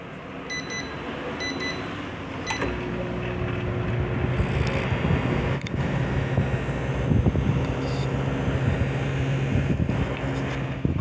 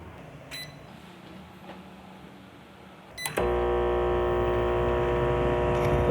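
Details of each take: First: Microwave that powered on without blowing fuses, did not heat and had a loud transformer buzz; after replacing the high-voltage diode, keypad beeps, a relay click, then a steady normal moderate running hum. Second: Microwave turns on without blowing the fuse but does not heat; a loud, steady hum comes from the transformer, caused by a damaged high-voltage diode, which was then replaced.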